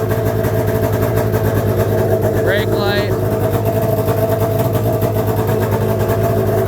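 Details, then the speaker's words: 1998 Arctic Cat ZR600 batteryless EFI two-stroke snowmobile, stationary run-up without shocks or skid; steady even burble with constant low drone, no misses or knocks, idles cleanly and healthy. "Anyway, I'll start it up for you. I mean, that's pretty much all I can do. I really can't drive it around without shocks or a skid, but just fire it up."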